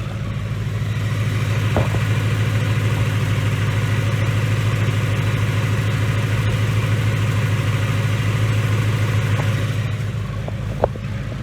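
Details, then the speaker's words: 2019 Ford Mustang GT 5.0 Coyote V8 with Whipple Stage 2 supercharger, recorded in May 2019 before its later engine failure; steady deep rumble with an even loping beat, no knocks or ticks, a quiet, healthy idle. "this is the quietest gentry coyote I've heard yet"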